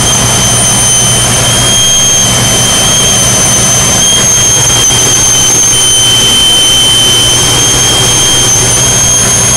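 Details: 2001 Jeep Cherokee: loud, constant tea-kettle-like whistle over a steady running engine, owner thinks from the right side of the engine; cleaning the idle air control valve, suggested as the cause, did not cure it; source still unknown.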